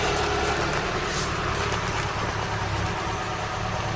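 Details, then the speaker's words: Long-unused vehicle revived with a loose hose clip replaced: steady, even idle with smooth low beat, no misses, knocks or rattles, no smoke on starting or running; normal idle. "no smoke when it starts up no smoke when it's running really sounds sweet"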